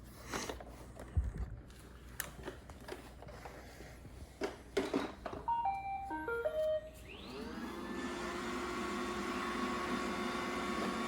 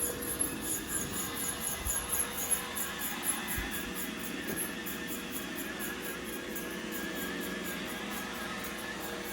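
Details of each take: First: Roomba 960 robot vacuum after removing a stuck hard piece: chime, then steady smooth motor hum and whir, no more squeak. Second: Roomba 960 robot vacuum running with a loud high rhythmic squeak, heard for days; rollers ruled out, cause was a hardened dust-and-hair glob jammed between the brush assembly and its spindle.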